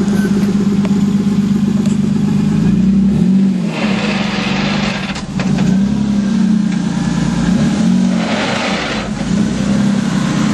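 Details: Toyota Supra after a small launch at the track: wavering, warbling engine drone with two short rushy bursts as revs rise and fall; cause unidentified.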